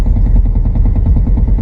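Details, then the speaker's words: 2000 Chevy S10, first start after sitting, battery hooked up and oil changed: low, lumpy, unevenly stumbling idle; runs rough with a bad miss, check-engine light on, oil pressure good, cause still unknown. "a bit rough oh it's a bit rough service engine soon low fuel lights on we got oil pressure a lot of oil [Music] pressure so we got a bad Miss that's about it"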